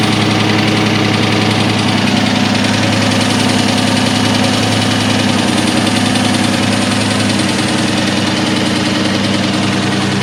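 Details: 2003 Ford SVT Cobra engine at rough idle with hollow, uneven knocking about two and a half per second, piston slap from badly scored pistons.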